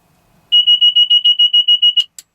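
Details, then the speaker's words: Bell 407 turbine helicopter at battery switch-on during pre-flight: about ten quick, even high-pitched beeps over a second and a half, then silence as horns are muted; normal warning horn self-test. "we're going to mute the horns there's going to be a total of five horns or beeps um you're only going to hear four because the first beeps really quick here we go doing all of its fedex checks"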